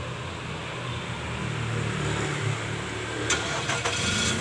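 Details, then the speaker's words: Nissan Serena C24 started remotely through a newly installed universal keyless entry engine-start kit, with a range of up to about 30 m. A brief crank blends into a steady, low, even idle with no misfire, a normal engine start. "Nah, mesin nyala ya. Ini bisa mencapai sampai 30 meteran jaraknya untuk start mobil ini."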